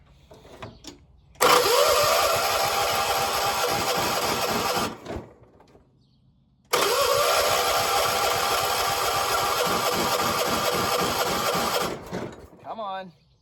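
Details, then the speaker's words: 1976 John Deere 300 garden tractor, hard start the morning after mowing a lot of grass, battery nearly dead and needing a jump, has fuel: two long steady cranking bursts of about 3.5 seconds, engine never catches. "Why ain't you starting? Got gas."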